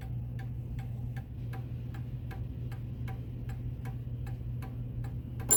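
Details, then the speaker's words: 1904 Gilbert "Congo" 8-day mantel clock after overhaul, pendulum bob refitted: crisp, steady, even ticking about two beats per second, then a clean single strike at the 30-minute mark; movement runs healthy. "It sounds pretty good at the 30-minute mark."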